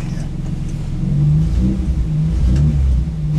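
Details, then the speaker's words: 1973 MG BGT with Megasquirt-injected 3.1L V6 swap, driveway test, heard from inside the car: deep smooth V6 note swelling with throttle blips and settling cleanly, muffler fairly quiet; no knocks or misses, normal revving. "pedal doesn't sound bad in here actually muff was pretty quiet"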